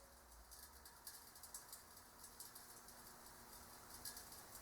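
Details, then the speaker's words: Cold-welding cast iron with no preheat, using a MIG welder and self-shielded flux core wire. Faint, irregular sharp pings and ticks over a quiet hiss as the weld cools: the cast iron is shrinking and cracking at the weld. "that's usually when cracking occurs when you hear that sound that's the material shrinking down when you weld cast iron"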